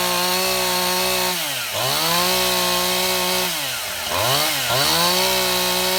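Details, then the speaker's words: Stihl MS171 chainsaw test run after a no-start repair: new ignition module, spark plug heat range and gap corrected, fuel line and carburetor serviced, debris found in the carburetor's secondary filter. A crisp, high two-stroke buzz dips and climbs cleanly with the throttle, with no stumbling; running healthy. "Okay, my camera ran out of battery in the middle of the test run, but as you can see, it ran quite Well"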